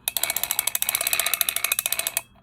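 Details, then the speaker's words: Catalina No 804 / Jorgenson Z-12 spinning reel before service: fast sharp clicking and rattle at about eleven per second while the handle is wound, stopping when winding stops. Lack of lubrication is suspected before teardown, cleaning, lubrication and shimming. "The bail trips beautifully, but it does have this vibration in here when you wind it uh from probably just from lack of lubrication."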